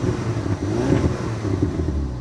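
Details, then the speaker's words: Car at a Copart yard, parking brake on, given free revs: crisp revs climbing and dropping cleanly with a light exhaust crackle on the overrun; the car runs great. "let's give it a little throttle hear that crack of the exhaust"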